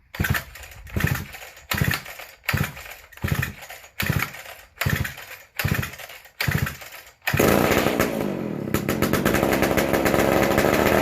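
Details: McCulloch Super Pro 125c chainsaw, first fire after cleaning, intake boot and new old stock muffler, on high speed: pull bursts then a flat, high, unsettled scream; non-adjustable carb, runs lean as if short of fuel.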